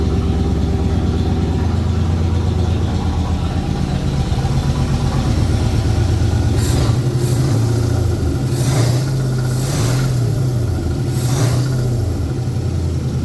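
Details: 1981 Ford Bronco 351 V8 first running after no-start: timing confirmed, fuel added, carb refitted on homemade adapter plate after backfire lifted it; deep, lumpy idle burble with light throttle blips, runs evenly; small resonator muffler.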